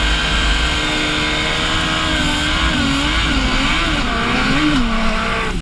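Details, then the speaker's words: 2003-2004 Suzuki GSX-R 1000cc while riding (snow/water bike): engine howl with a rough metallic grind over it, wavering with speed, increasing and slowing the bike; source unknown, owners guess drivetrain/power line. "And listen to the metal noise what you're gonna hear. We don't have exact knowledge where that noise is coming from, but our guess is that it's something to do with the power line. But anyway, that noise is increasing and it's slowing the bike down."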